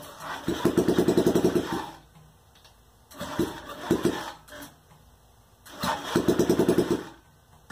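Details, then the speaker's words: Honda Ruckus scooter project bike, sat with possibly old fuel, now on fresh gas after radiator fill: engine fires in short uneven bursts that die away between attempts, never settling into a clean idle; runs rough, cause unclear. "just doesn't sound great but sounds good to me that it runs"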